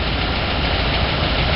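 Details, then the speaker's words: 1993 Ford 3/4-ton pickup with 460 V8 idling rough and lumpy with a faint light tick; lifters already replaced and the new lifters tick; owner believes the cam is bad, third gear bogs like a bad misfire. "I did lifters and those are the new LIF lifters that are ticking"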